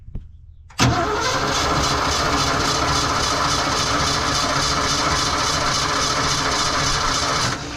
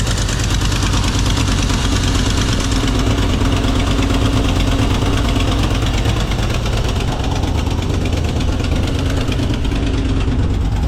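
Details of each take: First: 1982 Ford F-150, 302 V8, carbureted, manual, neglected fuel system with rusty tank: starter chugs steadily with no firing. No fuel from the mechanical fuel pump, suspected as the cause, not confirmed. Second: 1982 Ford F-150 302 V8, manual, with a new low-budget carburetor fitted and plug wires reconnected after running on 5 cylinders: steady, even idle with a firm low rumble, no misses, slightly high at about 1,000 rpm; normal idle.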